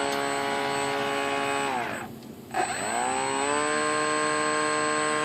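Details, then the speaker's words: Motor of an F-22 profile RC plane after an ESC repair, throttle cut off: clean, steady high whine that sags briefly and climbs back while battery output voltage is checked; the owner suspects a weak battery. "Clearly the motor is working. We're just looking at our voltage on our output from the battery."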